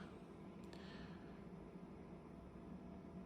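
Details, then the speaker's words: Inline centrifugal ventilation fan at roughly 40% speed, about 200 cubic metres per hour airflow: only a faint, steady low hum with no ticking, rubbing or rattle, nearly silent; normal low-speed running. "But if we go even another 20% to say roughly 40% speed. So now the fan is pretty much silent."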